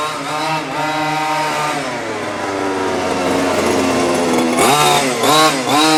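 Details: New HPI Baja 5T small two-stroke, first slow drive after ~30 s warm-up idle: high buzzy note climbs and drops smoothly with throttle blips, clean and even. Running properly; idle slightly high, left until first tank or two.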